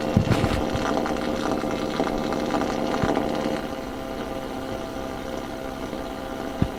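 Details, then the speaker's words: AM radio at 1218 kHz: raspy buzzing drone and hiss over the station, changing when the computer screen is unplugged and replugged; spurious signal traced to the plugged-in screen. "So, what's going on here that my screen is issuing this very loud noise?"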